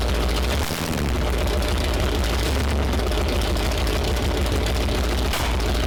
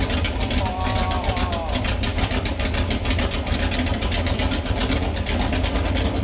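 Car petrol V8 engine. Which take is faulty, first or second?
first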